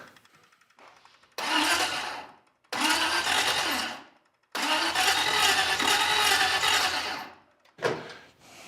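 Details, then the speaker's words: Second-hand engine with exotic carburetors on a custom car, fresh first start: three bursts of slow, laboured cranking with a dragging, odd-sounding starter whir and no firing; slow cranking starter. "It's cranking kind of slow. The starter sounds funny. It's not breathing life."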